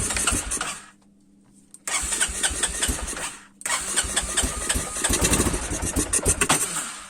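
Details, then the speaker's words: Quad single-cylinder engine running with airbox open and cleaned: uneven popping cuts out as it stalls, silence, then cranks and catches again running ragged; hard to keep running. "Ouh là là, bon bah je pense qu'il a plus envie donc bon bah c'est la fin de la vidéo."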